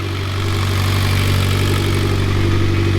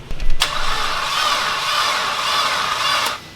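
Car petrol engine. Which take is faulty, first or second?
second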